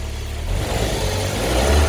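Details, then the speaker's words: Car serpentine belt with a warm engine, after spraying and blowing clean the oily belt and pulley grooves (tensioner replaced earlier, belt not replaced): engine revs up cleanly with a smooth rising note, squeal gone. "声音有没有？没有了，对不对？"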